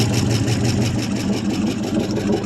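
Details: 1974 International 200 two-wheel-drive pickup with a once-seized engine, restarted after possible flooding following about 25 years of storage; the V8 settles into an even, steady low burble with no knocks or misses, idling cleanly, though it smokes from the left side.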